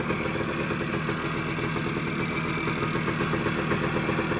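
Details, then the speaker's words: 1979 Suzuki PE250 two-stroke, revived after sitting a couple of years in a garage, idling with no air filter on 40:1 premix (manual calls for 20:1): loud, pretty smoky, even quick steady pop rhythm, no misses; normal healthy idle. "uh but without it having a filter it's uh idling nice thing is loud pretty Smoky too at 40 to1"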